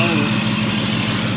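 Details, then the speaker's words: Jeep bought bone stock that owner says rattles hard on cold start then runs fine, suspected rod bearing issue; at idle it sounds steady and even with a busy mechanical clatter on top but no rhythmic bottom-end knock, more noisy than rattling. "it didn't really sound what I would call like a rattle it just sounded noisy so that's kind of weird"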